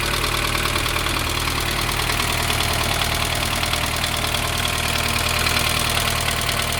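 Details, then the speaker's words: 1987 Dacia 1310 (Renault 12), cold start after two days with choke a quarter out: light regular tapping knock about two per second at idle, persisting after bearing change, expected to fade as engine warms; cause unknown. "Acum se aude bătaia de care [Muzică] pomeneam și Pe măsură ce se încălzește motorul o să se estompeze"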